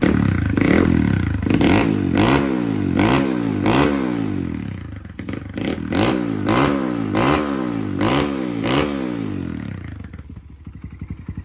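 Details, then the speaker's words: 1998 Honda XR100 after full build, 22 mm Mikuni with 125 main and 15 pilot, XR pipe with spark arrestor removed: quick repeated throttle blips rising and falling cleanly with a sharp open-pipe bark, no knocks or misses; normal revving. "And she runs pretty good. XR pipe sounds good."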